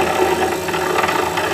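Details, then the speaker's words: Woodturning lathe hums steadily as a pen blank spins; tapping on top gives light clicks showing the blank is still out of round. "You can hear that. That means it's not round because you can hear it clicking."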